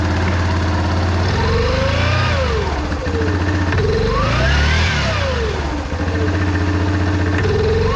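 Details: Yamaha Grizzly 700 ATV starting after one-way bearing (starter clutch) replacement, engine refilled with 2.1–2.2 quarts oil, in neutral, code 22 on dash: engine catches and runs with rev rises and falls, no clank or grind from the starter clutch; normal start and run.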